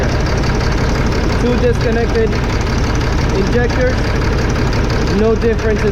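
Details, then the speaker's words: 2005 Fleetwood Discovery, Freightliner chassis, CAT C7 diesel with low power, max about 60–65 mph: lumpy uneven idle unchanged when injectors unplugged, cylinders 5 and 6 dead, later traced to bad injectors. "so there you have it number five and six not working"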